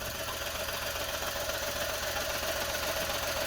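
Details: Car idling with a rough, uneven beat two to three times a second: one cylinder dead from a failed brand-new aftermarket ignition coil pack, shown on a thermal imager and confirmed by disconnecting it.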